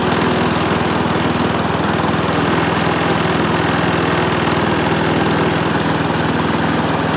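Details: Briggs and Stratton single-cylinder mower engine, serviced after oil starvation or neglect, gives a fast, even putter at constant speed with no stumbling or surging; runs smoothly.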